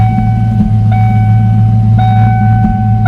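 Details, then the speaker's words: 1993 Ford Mustang GT 5-speed manual V8, still smoking, with head gaskets suspected and a leak-down test possibly next: a deep, even idle rumble with a chime over it, firing smoothly with no misses. "Very nice. Sounds awesome too. It does. That has a nice sound."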